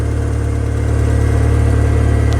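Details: 2002 VW Beetle with start/stall fault after instrument cluster repair restored communication and codes were cleared: starts and settles into a steady, even low idle with no stumbling or surging; possible exhaust leak noted.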